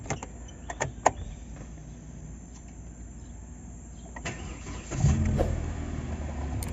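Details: Hyundai Accent that clicked while cranking and would not start, serviced for a low battery with jump-start and injector bleeding. A few light clicks, then the engine catches quickly and settles into a steady idle.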